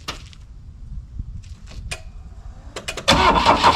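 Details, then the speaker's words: Saab Sonett with engine just reinstalled after an oil pan gasket job: short scattered cranking bursts, then it suddenly catches and roars. The rotor was found 180 degrees off on the distributor, set from TDC. "strong spark i'm going to set it up to tdc here and then i'm going to turn the distributor 180 all right my rotor is set 180 degrees off on on the distributor"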